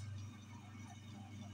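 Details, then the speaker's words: Donkey water pump motor after repairing suction problem, with plates fixed and head refitted: quiet steady low hum, no grinding or rattle; running properly and sucking water well. "यह बिल्कुल बहुत अच्छा work कर रही है अच्छी setting दे रही है आपको आवाज़ सुनाई दे रही होगी की ये सेकंड कर रही है"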